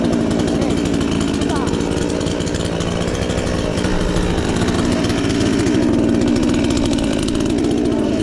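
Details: Chinese counterfeit chainsaw sold as a Stihl (MS 461), newly assembled and first start attempt: loud, steady two-stroke buzz holding an even speed without stalling or sputtering; the saw has started and runs normally.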